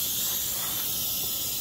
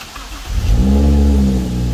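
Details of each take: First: BMW N55 turbo engine, smoke/pressure test at the intake with the engine off: a loud, steady, high airy hiss from a huge boost leak, suspected at the turbo inlet. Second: BMW N55 starting after fuel pump module (EKP) replacement, with the check engine light on: the starter catches quickly, revs flare then drop to a steady low idle; normal start.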